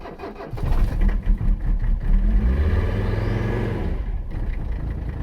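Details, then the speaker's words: 1985 Mercedes 300CD turbodiesel, abandoned car, cold start after third glow plug cycle with ether and pedal (owner unsure glow plugs click): long grinding crank, catches, stumbles, settles, turbo spools up; hard cold start. "heard the turbo spin up for the first time there yeah she took some uh foot pedal encouragement but she's going"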